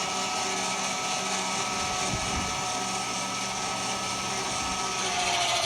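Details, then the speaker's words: 2025 Forest River Salem 22RBS travel trailer, electric stabilizer jacks: steady low electric motor whine with a gritty edge for several seconds, switch held briefly after ground contact to keep both sides synchronized, then cuts off; normal operation. "Another thing to note, when you're using these, same as a slide out operation, you're gonna wanna hold that switch for just a second after it makes contact to keep both sides in synchronization with each other."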